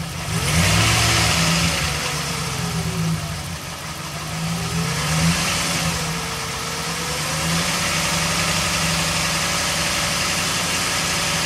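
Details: Engine idles then revs and settles with faint rattle and exhaust popping after each rev; owner reports serious performance loss and poor mpg and suspects an exhaust leak, not confirmed.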